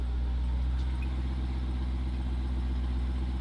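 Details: 2018 Jeep Trackhawk, widebody, salvage rebuild with a swapped Demon engine and bigger supercharger: deep, steady, even idle rumble with no knocks, ticks or misses; normal idle.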